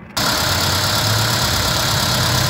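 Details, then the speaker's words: VW Vento petrol engine idles lumpy and unstable with recurring stumbles; scanner shows misfire codes P0300/P0301, cylinder 1 misfiring, with plug, plug lead or ignition coil suspected. "estamos viendo cómo nos falla el motor está inestable ve có falla y en el escaneo nos damos cuenta que eh tiene detectado un fallo de combustión el código p3000 el p3001 que es un fallo de combustión"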